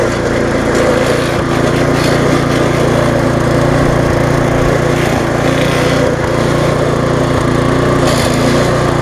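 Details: Viking (Stihl) mulching mower, Briggs engine with refurbished classic carb, fresh after repair and smoking from being tipped on its side: light uneven rattle over a steady single-cylinder buzz, from handlebars that are not tightened.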